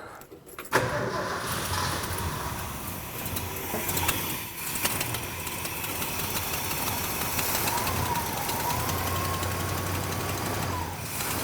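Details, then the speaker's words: 1972 Ford F-100 V8, sat about 10 years, after clearing a fuel blockage on the tank side: catches after a short crank and settles into a steady, even run with no knocks or misses; timing and idle still to be set. "where it likes it right there we're back in business well that's awesome so long couple days but you know we got the thing up and running"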